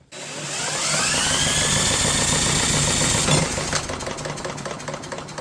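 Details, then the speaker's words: Brushless 10 hp junkyard generator with an overhead-cam engine, on a compression test: quick, even cranking, about 220 beats a minute, with no compression pulses and nothing from the exhaust, likely because the exhaust valve is stuck open. "Nothing interesting. I mean, actually nothing. How there anything coming out the exhaust? Look like the exhaust valve might be completely stuck open."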